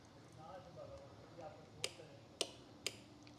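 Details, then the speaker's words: LS engine wired with a harness: applying 12 V key power to the harness makes a few sharp, dry clicks, which is the starter solenoid pulling in, during setup for a compression test. "you hear that that's a solenoid turn it on giving her wiring harness full power"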